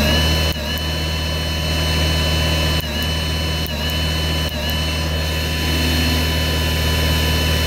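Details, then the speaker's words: Ryobi battery snow blower stalling on light snow in cold, dry weather: a steady electric motor hum dips sharply at each lighter-spark static discharge on the blue data wire, shutting down the battery or controller; fixed with ring connectors. "so as you saw as i produce a spark that went to this data line it caused either the battery or the controller to shut down"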